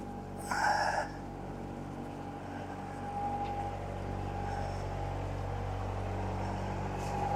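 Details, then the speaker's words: Diesel engine, unrun for a while, in forward gear, revved up to 1500 rpm while warming: steady rumble, even and unbroken, with a faint whine on top. Normal running. "Okay, I'm going to bring the RPM up now. Okay, I'm at 1500 RPM."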